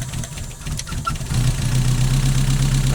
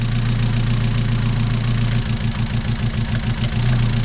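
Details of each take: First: Mazda MX-5 with a misfire that is worse when cold, at idle, during a cylinder balance test pulling HT leads one at a time: idle sags then recovers. RPM drop is very obvious on cylinders 1 and 2 but not on 3, so cylinder 3's coil pack is being replaced. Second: Mazda MX-5 at idle after a new coil pack (old one likely dead) fixed the misfire: a steady idle with only slight unevenness and no stumbling. It is very drivable now, and injector cleaning might still help.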